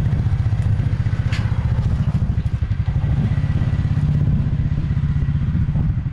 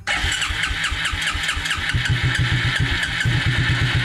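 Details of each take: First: 1996 Suzuki King Quad 300 4x4 ATV single-cylinder after carburetor rebuild, still a little cold: steady even low thumping with a brief throttle dip near the end; running better than before, normal running. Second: 1996 Suzuki King Quad 300 4x4 ATV single-cylinder, fuel lines disconnected at the fuel filter to check flow, after long cranking: uneven stumbling firing that barely holds on; fuel starvation, engine barely running.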